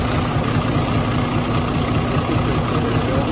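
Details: 2017–2018 Freightliner Cascadia with a Detroit DD-series diesel at idle: heavy rumble with busy, uneven light tapping and some shake; valves out of adjustment making the noise.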